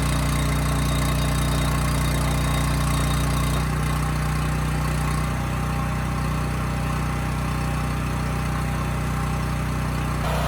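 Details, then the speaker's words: Homelite generator with Mikuni carburetor after carburetor cleaning that cured hunting/surging, set to about 61.5 Hz no load, tested under 3000 W: even drone, one small step as load changes then flat, no surging; governor steady. "okay good this thing runs perfect and uh that hunting is gone i mean that throttle was holding absolutely steady which is good"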